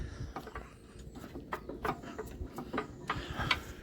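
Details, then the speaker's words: Unidentified old diesel engine, very dry, hand-cranked slowly: faint, uneven puffs and clicks with no compression thump as air blows straight out the exhaust; owner suspects a stuck exhaust valve, bent pushrod noted; zero compression. "she is very dry and it has zero compression when I turn him over you can hear it you can hear it blow through the exhaust"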